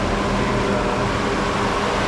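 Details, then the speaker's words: 1992 Mercedes-Benz 500SL (R129) V8, engine bay: even whooshing fan rush with faint motor hum, no ticking or grinding; auxiliary fans running normally because the AC is on, and the AC works. "auxiliary fans are running cuz the AC is on and the AC does work."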